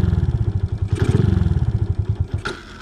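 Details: Suzuki Smash 115 motorcycle restarted after overheating, rear wheel suddenly locking and skidding at about 107 on GPS: uneven, lumpy thumping idle with irregular beats and clatter; engine now sounds rough and different, cause unknown to owner.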